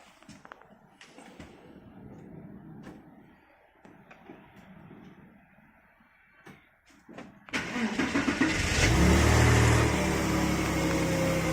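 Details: Porsche Boxster 986 flat-six starting after alternator replaced with rebuilt unit, battery at about 82%: short crank, catches cleanly and settles to smooth steady idle, no misses or knocks; charging at 14 volts.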